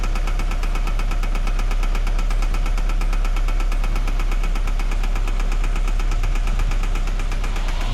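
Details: 2013 Scion FR-S right after start-up: steady rapid knocking, about four beats a second, over rough idle; misfire found on cylinder 4, teardown planned, failed part unknown. Engine knocking at idle.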